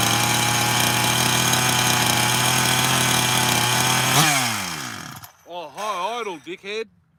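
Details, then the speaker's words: Rebuilt 86 chainsaw on completion, running at a fast, steady buzzing idle before winding down. The high idle was set far too high and was then backed all the way off. "I backed the idle all the way off. It was high idle. Completely forgot about high idle."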